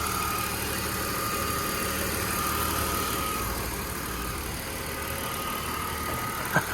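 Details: Car bought for a 1966 Mustang BMW chassis swap, 101,000 miles: steady, even idle with smooth low drone and no knocks or misses; engine sounds clean and healthy.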